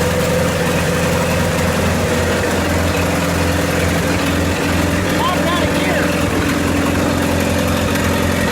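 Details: 1928 Farmall Regular tractor idling after carburetor tweaks, just started with timing advanced about halfway: slow, steady low-pitched idle with even firing, no misses or knocks; healthy, normal idle.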